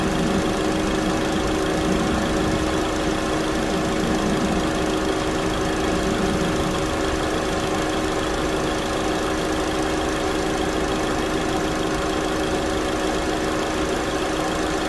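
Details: 2009 Chevy Cobalt, 339,428 miles, after a thermostat replacement for code P0128: even, steady idle hum with a constant tone and no ticking or knocking, settled and smooth. Normal idle.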